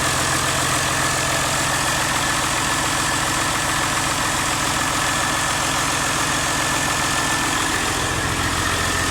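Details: CAT C13 diesel after rebuild for destroyed camshaft, lifters and general wear: even, steady diesel clatter at idle with a constant low rumble and no misses or knocks; normal idle.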